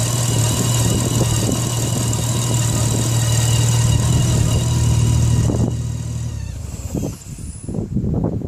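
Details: Nissan RB25DET: engine catches and settles with a thin, steady high-pitched whine riding over it; cause not yet pinned down. Engine whine.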